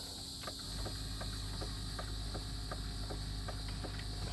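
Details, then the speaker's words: 6.0 truck blowing hot air, key on, fuses good: crisp clicks about three a second over low rumble; AC relay clicking normally; AC gauges show high side too high at about 140-145. "you can hear the relay. So the relay works, the fuses are fine."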